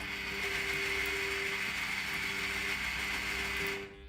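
Whirring gear motor with a fast mechanical chatter runs for a few seconds, then stops dead with no lingering buzz.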